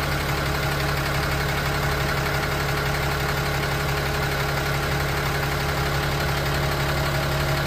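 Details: 2016 Ram 6.7 Cummins diesel at idle with a fast, even tick about three times a second under the clatter; injection ticking from incorrect CP3 pump phasing, fixed by re-phasing the pump.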